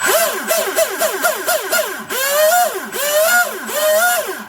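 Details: Twin Leopard 2860 2730 kV motors on OSE 90A ESCs in an RC drag boat, about 30,000 RPM each on 3S: clean high whine rising and falling in quick bursts, no grinding or rattle, stuffing tubes cool; drive healthy.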